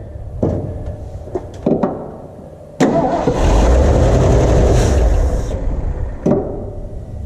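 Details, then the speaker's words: 1977 Ford F-250 4x4, 351 Cleveland V8, running on gasoline from a temporary fuel tank. Short cranking bursts, then it catches, roars briefly, fades and dies. Hard start and stalling; a fuel supply issue is suspected. "it could be a a gas issue all right [Music] [Music] that's definitely a gas issue because the the temporary gas tank here is getting sucked down like a deflated balloon"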